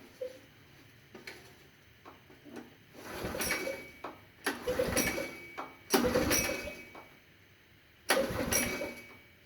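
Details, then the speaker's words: 22-year-old 1998 Makita G1300R portable generator after tank, carburetor and strainer cleaning: repeated short pull-cord rasps with faint coughs but no catch; won't fire because the choke control lever wasn't connected (missing spring). "Aha, putting it in the choke position does nothing. There was no spring when I took everything apart and I completely overlooked the fact that the control lever wasn't connected to anything."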